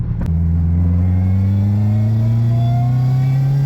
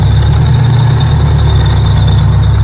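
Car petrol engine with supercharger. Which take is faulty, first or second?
second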